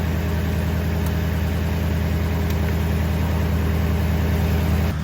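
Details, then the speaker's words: Toyota Tundra idling normally after no-start/slow-crank in cool weather after sitting weeks; jump pack removed, stays running, alternator charging 13.94 V. Steady, even low idle, no knocks or squeals. "And yeah, she's still running, so more than likely it is the alternator's putting out."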